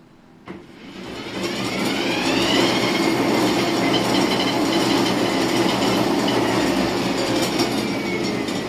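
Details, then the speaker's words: Uwinfly N9 first-generation electric scooter, three years old, separate motor (not in-wheel), Nanjing Fardriver ND72360 controller, after connecting a universal throttle (5 V measured): motor whines up smoothly then holds a steady hum in speed 1, no two-beep error. "Oke, normal ya."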